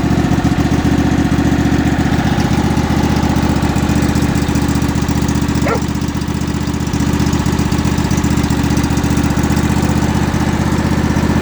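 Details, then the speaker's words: Kohler 18.5 V-twin on Craftsman mower, cold start, after replacing bad spark plug that caused a dead cylinder and tick; even, steady idle about four pulses a second, no ticking or missing; runs healthy. "the engine always had a bit of a tick but it doesn't have that tick no more let's fire it up this will be a cold start even though it's almost 20 Celsius out here but it's the first time this machine's ran today so"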